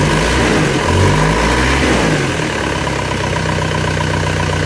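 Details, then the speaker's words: Isuzu Panther diesel after rebuild with cast liners, on FX Titan oil: settles from a light rev into an even idle, a puffing chuff on each pulse from the leaking exhaust flex pipe; engine otherwise smooth. "Ini fleksibelnya bocor. Nanti kita bawa ke tukang kenapa untuk diperbaiki. Gasen kennenapotnya sudah parah ini."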